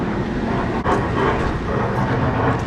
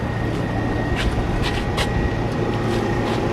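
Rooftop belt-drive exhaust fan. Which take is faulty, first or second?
first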